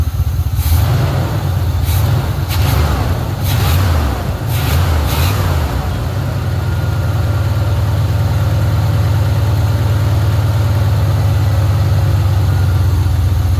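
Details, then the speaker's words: 1980 Pontiac Trans Am Turbo 301 V8 after sitting 18 years, warming up about five minutes with coolant rising toward thermostat opening: a few early handling knocks, then a deep, steady even idle; normal warm-up idle. "that was too easy this thing's just been sitting here idling away for like five minutes now just been letting it run clean itself out"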